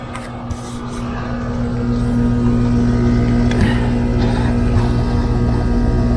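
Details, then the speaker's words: Home HVAC indoor blower fan after the dual capacitor was replaced, with the compressor running. Steady low electrical hum with a slow, weak rotation; the blower motor turns very slowly and sluggishly and is failing. "It turns but very very slow. Very slow and sluggish."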